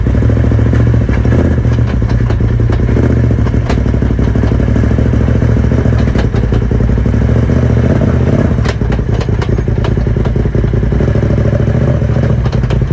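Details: Polaris RZR XP 1000 Turbo: loose, irregular clattering and thumps over deep engine rumble, coming and going with the drive; owner suspects transmission, drive shaft, differential or clutch, source unconfirmed.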